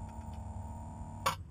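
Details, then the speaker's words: Boat bilge pump float switch: faint pump hum, then one sharp click as the float moves with the water level and switches the pump; normal switching, though the pump is being replaced for intermittent sticking. "And then what happens is you can hear it click just like this. The float actually moves as the water fills up in the well."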